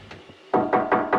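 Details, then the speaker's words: Expansion vessel on a hot water cylinder, meant to be charged to about 3 bar, tapped after refilling: four firm taps give a dull, solid thud instead of a hollow ring; waterlogged expansion vessel, before checking with a pump gauge. "you can hear it doesn't sound hollow, but the best way to check this is, we're getting our little pump, let's turn it on, and without setting it to anything, let's put this on here."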